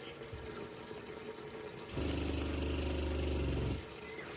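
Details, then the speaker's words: Caravan water pump after installing a SEAFLO accumulator tank, dishwasher running: pump kicks in with a steady low hum under two seconds and shuts off cleanly instead of constant rapid pulsing; normal cycling. "so now when the dishwash is going it should only do that and then not go ching ching ching ching ching ching ching ching so yeah win a winner"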